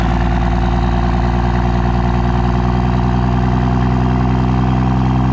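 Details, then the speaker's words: Diesel pickup: deep steady drone that stays low, never builds revs or turbo whistle; torque converter stall too low so turbo can't spool or build boost, heating the trans; higher-stall converter needed. "The converter is just stalled so low that you literally cannot build boost."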